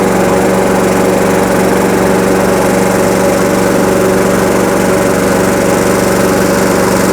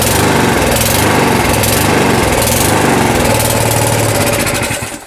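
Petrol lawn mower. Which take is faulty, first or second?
second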